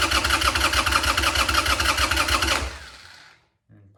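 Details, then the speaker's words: Harley Sportster after an engine oil change, with 2.5 quarts in the tank: steady starter cranking at about three beats a second with the choke deliberately off to get oil pumping. The engine never catches; normal cranking without a start. "Purposely didn't pull the choke out so the starter can get things pumping. Now let's try again."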